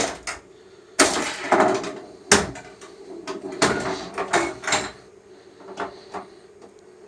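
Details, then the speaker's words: Sega/Stern pinball power driver board after repair, coil test stepping through coils that were previously out: single sharp clunks one at a time at uneven intervals in a quiet room, magnets buzzing; all coils now working. "can't really hear the magnets but I can hear them Buzz so I know that they work"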